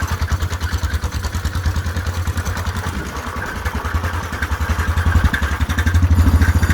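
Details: Whizzer small single-cylinder motorbike on a test ride after a new overdrive gear and pulley, shifting up from first: steady, slightly uneven chugging under load, pitch lifting through the gear change, wind behind, third gear working best; normal running.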